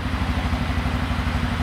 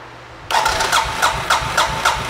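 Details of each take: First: 2007 Suzuki King Quad single, idling after replacing an old spark plug that gave very weak spark, airbox still off: steady, even low thumping with no misses or stumbles; normal idle. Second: 2007 Suzuki King Quad 750 ATV that died and wouldn't restart, airbox removed, injector confirmed pulsing: starter churns steadily at three to four compressions a second with no firing; crank-no-start traced to weak spark.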